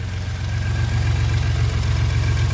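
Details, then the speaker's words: 2015-16 Ford F-150 EcoBoost twin-turbo V6 idling after a DIY CRP Engineering bigger-turbo install, before warming up; deep steady even rumble, no ticking or knocking, water lines not leaking; normal healthy idle. "Water lines don't leak. Everything sounds good. So we're going to let her idle here for a little bit."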